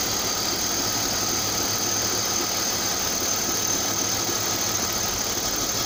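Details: 1999 BMW 528i E39, M52B28TU engine at idle: faint dull knock repeating evenly under heavy hiss; rhythmic knock of unknown cause, owner asking.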